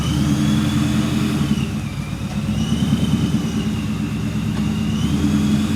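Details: 1999–2004 Ford Mustang GT with a newly installed Vortech V2 supercharger and 4-inch intercooler, on its first drive around the block, heard from outside. A steady engine drone and smooth supercharger whine rise and fall through the gears. Earlier fluttering was fixed once a part was hooked up. Normal running.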